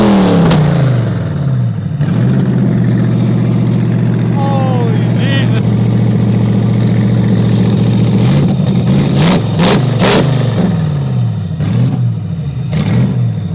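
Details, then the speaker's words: Toyota 1UZ-FE V8 race car engine, warmed up on first run in years after owner's own rewiring: smooth even idle climbing cleanly through revs and settling without misses or knocks; normal warm-up idle and revving. "Oh my God, that was so deafening revving it. Yeah, Jesus Christ, that got like probably 5 times louder."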